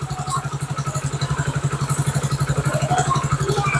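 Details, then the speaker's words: Motorcycle cold start, engine oil temperature 36 per OBD scanner: even, steady single-cylinder putter at slightly raised cold idle around 1500–1600 rpm, no knocks or misses; normal, rpm expected to drop. "अभी engine ठंडा है तो कितना RPM दिखा रहा है यहां पे? 15 1500 आरपीएम दिखा रहा है।"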